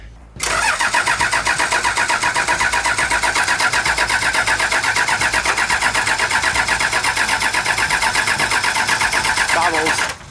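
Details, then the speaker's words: 1984 Toyota LandCruiser HJ47 with 2H diesel, unrun for 19 years, injectors bled: steady cranking about four beats a second with no firing. The previous owner had bypassed the glow plug system, wired straight to the rail. "Richards found another possible cause for the issue thanks to a home done mod from the previous owner"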